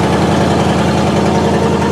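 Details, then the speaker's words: 1969 Buick Skylark Custom V8 at cold start idle, long off the road: fast even ticking puff on the rumble from an exhaust leak at the passenger-side exhaust manifold. "can hear it's got an exhaust leak in the passenger side exhaust manifold"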